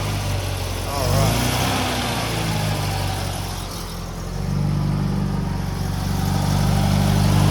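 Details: Restored 1969 Datsun 2000 roadster, 2.0 liter engine, cold start (engine not hot): catches and settles into a steady even low idle with no knocks or misses; healthy cold idle.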